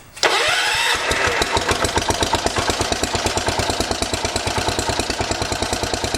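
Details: 1980 John Deere 212 garden tractor single-cylinder engine, after replacing the leaking crank seal: catches after a short crank and settles into an even, steady putter with no knocks or stumbles, no leaks seen; runs healthy.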